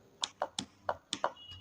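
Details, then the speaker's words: Top-load fully automatic washing machine water inlet solenoid valve bench-tested on direct 220 V supply: sharp irregular clicks, about seven in two seconds, show the valve snapping open and shut. Normal solenoid valve click; valve is good. "खटखट की आवाज आ रही है उसका मतलब सही है तो इसका काम रहता है पानी को अंदर जाना है ना पानी को अंदर ले जाने का काम इसका रहता है ये एक इलेक्ट्रिकल वाल्व रहता है"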